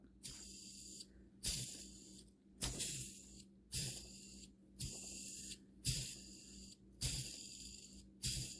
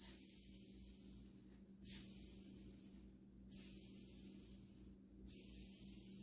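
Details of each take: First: SH PT2009XB RC nitro engine modded by Extreme RC Mods, crankshaft bearing spun by hand eight times: hissy, gritty whir that blurs then smooths, a worn bearing before new ones are installed. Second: New ProTek 14x25.4 mm rear bearing for a modded SH PT2009XB nitro RC engine, spun by hand: soft, even whir rising with each flick and fading out smoothly, a single sound with no roughness; bearing spinning smoothly.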